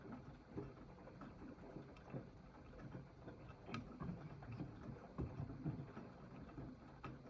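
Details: AEG 8000 washing machine, drum turning slowly: quiet, uneven hollow knocks every second or two, mostly (90%) when the drum turns counter-clockwise; gone at higher rpm, returns as the drum slows; not the detergent cup, which was removed. Cause unknown.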